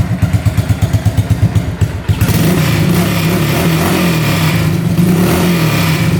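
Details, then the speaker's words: 1985 Honda ATC200S three-wheeler, fired up with choke off, rusted-out loud pipe: lumpy low idle then revs climb smoothly to a clean drone, no misses or clatter, no smoke; engine revs out healthy. "Revs out good. All right, pull starts working great."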